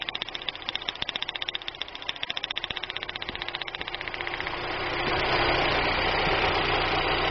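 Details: 1999 Daewoo Nubira at idle: uneven puffing beat about four per second, then it revs and smooths; misfire checked at wire and coil, found caused by cylinder head damage.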